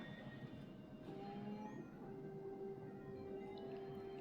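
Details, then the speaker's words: Blood-test analyzer centrifuge spinning after cartridge insertion and door closed: quiet, steady, clean whir that settles and holds, much quieter than other centrifuge analyzers; normal running. "다른 이제 원심 분리 혈액 검사기들은 되게 시끄러워요. 이게 돌아가는 소리가 분명히 있다 보니까. 근데 이거는 잡음이 딱 요 정도 소리밖에 안 나요."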